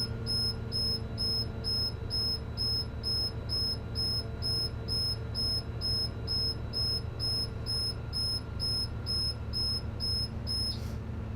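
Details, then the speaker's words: School bus pre-trip check, engine revved to 1500 rpm refilling air tank: even high beeps about twice a second, low air warning alarm sounding at 60 psi then cutting off; compressor continues to 110 psi. "I'm going to rev the engine to 1500 RPM. And at 60, the low air warning light and alarm should go off."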